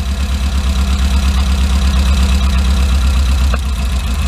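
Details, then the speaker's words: 2008 Chinese-made Tmag mini truck engine at a lumpy, uneven idle, clutch in: there is a regular stumble each cycle. Pulling this cylinder's plug lead makes no difference, so the cylinder is dead; its plug showed a bit of carbon buildup. "we're gonna pull one off at a time and shouldn't make a difference that one's dead"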